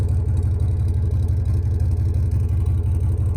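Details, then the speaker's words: 3rd-gen Toyota 4Runner with new muffler: steady deep idle burble, even pulses about three per second, a little louder than original but clean; normal exhaust note. "As you can tell, it's a little bit louder than original, but it kind of sounds good, so I don't really care."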